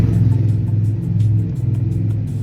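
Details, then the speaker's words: Nissan 240SX KA24E engine, old and failing, compression reportedly good: low lumpy rumble with uneven pulse and dropping beat; cylinder 2 misfiring, confirmed as a fuel issue, matching suspicions from driving; fire seen. "It's a fuel issue. Yeah, that's for sure."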